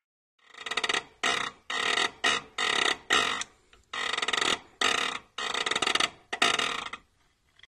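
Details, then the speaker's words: Peugeot 306 S16 with BV6 gearbox and a self-adjusting cable, pull-type clutch: loud, harsh creaking squeaks in bursts each time the pedal is pressed and released. At first only when hot, now cold too; the clutch still works fine. "mais c'est vrai que ce bruit de de mécanisme ce grincement vient gâcher tout le plaisir de conduite"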